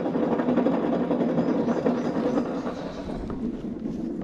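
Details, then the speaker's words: John Deere mower deck pulley spun by hand, blade also loose: dry, rough, uneven grinding rumble instead of silent spinning; pulley bearings shot, the likely cause of the customer's belt failure. "And then when I come over here to this pulley, the bearings are shot."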